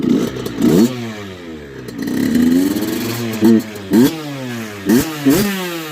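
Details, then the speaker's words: Freshly rebuilt 2002 Kawasaki KX65 two-stroke (Wrench Rabbit kit), already warm from riding, new chain and sprockets; crisp, clean throttle blips rise and fall quickly from a steady idle, revving freely and evenly, normal. "It's got a new chain and sprockets. Thing rips pretty good."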